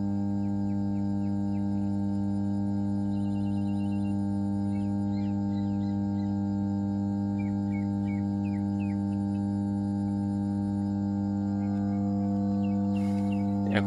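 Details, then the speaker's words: ABB 50 MVA 33 kV power transformer, energised and running normally, with steady deep humming sound and faint birdsong behind. "যে সাউন্ডটা শুনতে পাচ্ছি সেটাই হচ্ছে আমাদের ট্রান্সফর্মারের হামিং সাউন্ড।"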